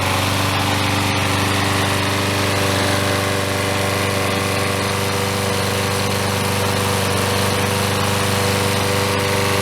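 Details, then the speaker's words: Troy-Bilt self-propelled mower, 6.75 HP Briggs & Stratton, after replacing the broken intake tube, broken carburetor throttle linkage and the out-of-balance chunked blade; steady, even single-cylinder drone with no misses or surges: normal running. "Sounds much better. And Propelled works very nicely."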